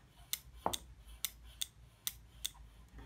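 About seven crisp, sharp clicks come at irregular intervals as light pressure moves the plunger, showing the microswitches operating normally.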